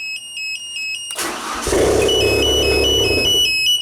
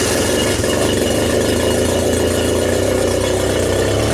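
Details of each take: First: 1992 Genie boom lift started from platform control: a warning beeper chirps, the starter cranks, the engine catches and runs briefly, then quits after a couple of seconds; suspected fuel solenoid not energizing or relay CR3 at fault, not confirmed. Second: 1992 Genie boom lift engine, test run on ground control after wiring repair for a platform-mode stall: steady, even idle with a smooth low rumble and a brief speed dip midway, then shutdown; runs healthy.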